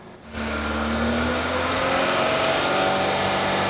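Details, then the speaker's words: Used car engine revved free for a pre-purchase check: catches and climbs smoothly to high revs with a clean, steady note, no stumble, knock or smoke; judged fit, though water then came from the silencer. "तो अभी मैं आपको रेस करके दिखाता हूँ। जनरली ये गाड़ी का इंजन तो फिट है, ये किसी किस्म का स्मोक नहीं"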